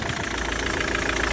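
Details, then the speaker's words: Citroen C5 diesel, just after a hard start: steady idle with a sharp, regular knock on every firing that sounds terrible, blamed on petrol mixed into the diesel. "So once it eventually starts, I mean, don't get me wrong, it sounds terrible. Almost like it's trying to self-destruct."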